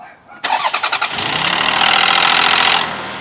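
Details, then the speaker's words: Lexus RX300 on a cold start cranks with a few quick pulses, then catches with a loud metallic rattle for about two seconds before settling; happens only on cold start, runs great otherwise; owner suspects too much oil after a recent oil change. "okay it's a loud rattling noise whenever you start it and here it goes all right start"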